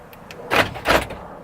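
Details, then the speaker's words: 1999 Ford Expedition with replaced door lock actuator, locks cycling during key fob programming: two quick mechanical clunks about a third of a second apart with a clean, even action; working normally. "After the 8th time, you're gonna leave the key on and you should hear the door locks activate. That means it's time to program."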